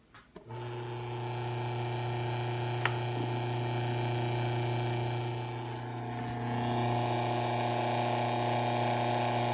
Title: [GOOD GRIEF!] My Asahi LS 6004 Has Some Rattling And Buzzing Noise